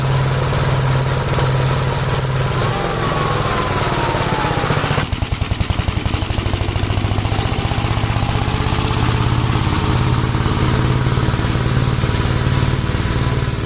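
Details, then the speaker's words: Gravely tractor with brush hog mulcher, PTO engaged, blade spinning under load: steady even engine chug with no shaking or knocking, though the mulcher clearly takes power and the owner doubts it has enough for high grass. "I don't know when the grass is high I don't know if this tractor has enough power to run that you can tell it's taking away power"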